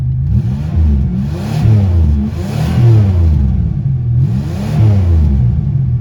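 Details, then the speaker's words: 1991 Buick, after turning a backwards-installed fuel filter around (previously wouldn't rev off idle): three clean quick blips rising and falling smoothly with no stumble or hesitation; revs freely, sounds healthy. "Sounds like a drag car, don't it?"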